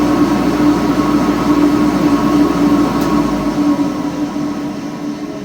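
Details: ILG 10-P blower, 1/3 HP 3,400 RPM three-phase motor on single-phase 240 V via a 10 µF static converter, heard from the motor side: steady drone with a gritty rumble and a whirr fading at spin-down, from worn bearings not yet replaced.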